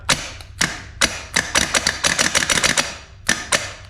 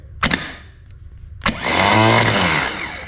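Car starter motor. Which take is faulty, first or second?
first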